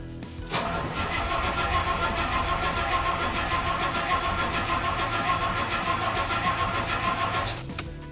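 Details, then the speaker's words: Cold start of a carburetted petrol engine after fuel pump priming to fill the float chambers: steady cranking for about seven seconds without catching, as fuel prime is not yet reached; it starts once fuel pressure builds. "Sounds like we haven't quite got the fuel prime yet. Oh, very nearly."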